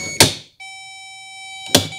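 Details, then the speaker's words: 1987 Mazda RX7 power window regulator at 12 volts: short whining motor run with crisp clicking as it stalls; broken beads in the bead chain leave a gap so the sprocket skips on the chain. "can hear some of the clicking that happens when it can't continue its travel for whatever reason. And there's what happens when the beads break."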